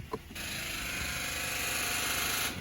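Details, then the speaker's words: 2010 Infiniti G37X on jumper cables, battery recently replaced, car stood while owner away: turning key gives a continuous fast buzz for about two seconds with no cranking; owner unsure whether starter or battery is at fault. "the sound it makes not sure if there's a starter or a battery problem but here we go then I try to start the car and nothing just that sound car won't start"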